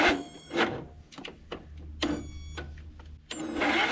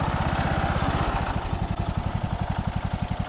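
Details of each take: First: Cub Cadet LT1045 riding mower, non-running: a few stuttering crank attempts, then it catches and runs on starter fluid, showing spark and compression are fine; fuel delivery fault suspected. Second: Cub Cadet LT1045 riding mower's small petrol engine, after carb cleaning and fuel system repair, settles into an even, steady idle with a regular low putter; normal smooth idle.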